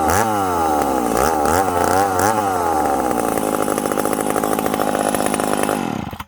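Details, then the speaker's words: Ported McCulloch Super Pro 70 chainsaw, retested after winter porting: crisp high revs and good throttle response on blips, then pitch sags and stays lower when buried in the cut; lacks pull, cause not confirmed. "again this thing's zippy i got good throttle response it just it needs a little more pull"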